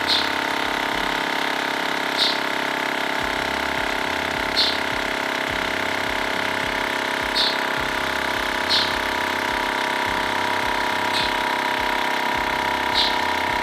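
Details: TACKLIFE M1 portable tire inflator pumping a bike tire toward a 60 psi target; steady even buzzing drone, screwed-on valve connector sealed with no hissing air leak. Normal compressor operation.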